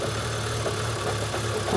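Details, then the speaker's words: Car with 204,000 miles that wouldn't idle and began making a weird noise. Idle hunts and stumbles with faint rhythmic lumpiness. Strong suction on the oil filler lid points to a blocked crankcase breather (PCV valve): rough idle. "She's having trouble. Can you hear that? There's quite a lot of suction on that lid, Yeah. which means it's got a block breather."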